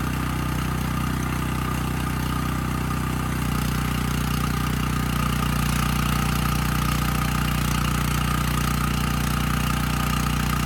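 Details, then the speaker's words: Dirty 5000 W Coleman Powermate generator stored outdoors, after air filter change fixed its run problem: steady, even engine drone with no surging or hunting, running well unloaded and loaded; normal running. "all right well this one surprised me I honestly did not think changing that filter was going to fix the Run condition but it did I mean this engine's running quite well unloaded and loaded up"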